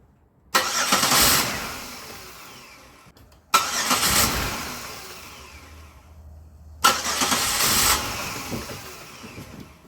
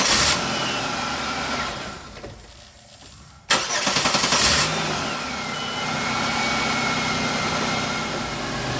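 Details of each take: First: Vehicle towed in from another shop, tampered wiring and Dorman mass airflow sensor fitted: three starts, each catches, runs roughly about two seconds only with throttle held, then chokes and stalls; MAF signal stuck high. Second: Car towed in from another shop, found with tampered wiring and wires rubbing the belt, after repair: a short crank, catches on the first hit and settles into a steady, even idle. Normal start and idle.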